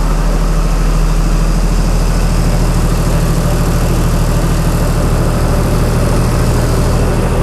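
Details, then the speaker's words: Chrysler 225 Slant 6 generator engine with new Holley Sniper EFI warming up, coolant 131°F; generator voltage regulator disconnected, no load; very quiet idle, deep steady low rumble, no stumbling or hunting; normal idle. "okay it's getting there man it's so quiet of course it's only an idol"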